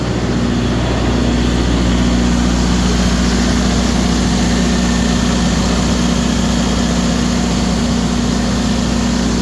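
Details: Kohler 100 generator after swapped sensor wires fixed and 4-year-old battery replaced for overcrank/no-start: loud, even, deep drone with steady hum, no misses or surging; running smoothly.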